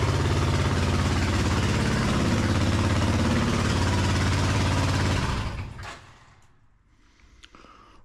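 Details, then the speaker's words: Suzuki Intruder 1400 V-twin, 37 years old, first start in over five years after carburetors primed: loud, hard-revving and fast but even for five seconds, then shut off; revs far too high, carb balance suspected; revs somewhat lower next day. "Um, I did achieve my task. The engine did fire up. Um, it was quite loud and the it was revving very high, but after that, I I started it the next day."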